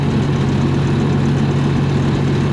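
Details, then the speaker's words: 292 Chevy gasoline engine on a 703 UniSystem power unit, after correcting badly wrong distributor timing and replacing old fuel with fresh gas: steady, deep idle drone with an even pulse, never wavering or missing; healthy idle. "And, well, something probably wasn't timed properly, but now it runs great. A little bit of fresh gas helps."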